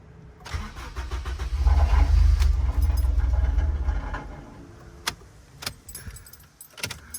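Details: Honda Accord K-series swap project, in neutral and fuel pump primed after a fuel pump issue was diagnosed, at its first startup attempt. Starter cranks at a steady four pulses a second for a few seconds but never fires; crank, no start.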